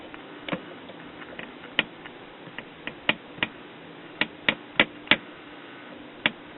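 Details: 1959 RCA transistor radio on a 6 V supply drawing about 56 mA: irregular sharp ticks and crackles over faint hiss with barely any program audio; nicked windings shorted the audio output transformer's primary to secondary.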